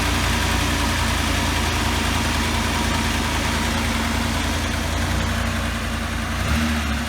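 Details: 1984 Pontiac Trans Am Firebird V8, 5-speed, barn find, hard cold start, first start in years: deep lumpy idle holding a steady low beat with no knocks; nothing clearly faulty yet.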